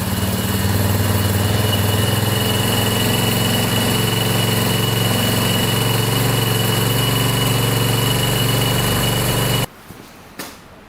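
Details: 1987 Yamaha Warrior 350 ATV found abandoned, started with gas dumped into the carburettor: a steady, even single-cylinder thump with no knocks or grinding. Normal running.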